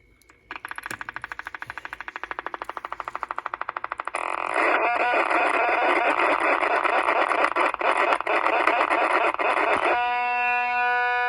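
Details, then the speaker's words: Mid-1960s Panasonic R1326 AM 8-transistor 9-volt radio: speaker putters in fast pulses, then a harsh steady buzz; a growl like this usually points to a problem in the automatic volume control circuit causing feedback, possibly a short or bad component. "Okay, so what I started to say earlier was that usually when you have a growl like that, it's a pretty good indication that the automatic volume control circuit is problematic and it's causing feedback."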